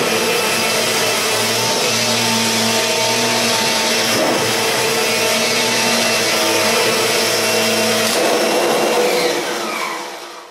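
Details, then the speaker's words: Kirby G4 vacuum needing motor bearings changed, vacuuming a mat in comparison with a near-new Sentria II: steady high motor whine with a rough, gritty hiss on top that never smooths out; worn motor bearings. "Obviously that sounds a lot better because this is practically a new machine compared to the G4 that needs the bearings changing."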